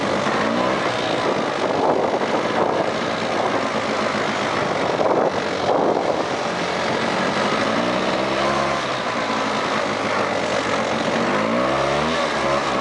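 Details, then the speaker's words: Mid-1990s Polaris two-stroke ATV revived from a pile of parts, ridden under load: pulls cleanly through rising and falling revs, no knocks or grinding; engine, transmission and driveline sound normal. "Yeah, she rips, buddy. Engine sounds good. Transmission sounds good. Uh, drive line sounds good."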